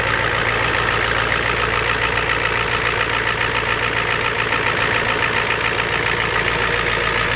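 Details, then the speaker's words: Ford F250 7.3 IDI diesel just cold-started at 12°F with glow plugs and ether: even loud clatter at steady idle, about three and a half knocks a second, warming up; normal cold idle. "keep the girls up god doesn't like the cold nobody does anyway"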